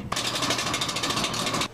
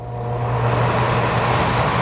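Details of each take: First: Gas furnace: a harsh, rapidly pulsing grind with a faint steady tone underneath, then an abrupt stop, a broken blower motor. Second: Gas furnace blower after refitting the fan on its shaft so it spins without rubbing: even low hum with steady airflow, no rubbing or rattling; normal blower operation.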